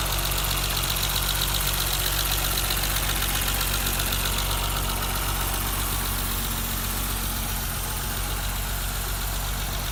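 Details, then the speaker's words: 1988 BMW 325 sedan, cold start warming up, temp gauge rising: steady idle with light, even injector ticking, no knocks or stumbles; healthy six-cylinder. "Sounds pretty good. So here, I'll just wait for her to come up the temp a little bit so you guys can hear."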